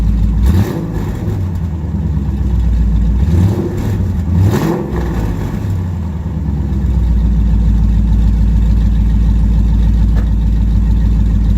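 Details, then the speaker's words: Dodge Challenger R/T 5.7 V8 just after fitting BBK long-tube headers. Deep revs rise and fall over a loping idle, with a sharp puffing edge on each blip; an exhaust leak at the header clamps, which need fixing. "oh yeah exhaust leak alright gotta fix those clamps I can hear it till tomorrow clamps got to be fixed first just straight exhaust leak but sounds like a beast coming out of that uh those headers though"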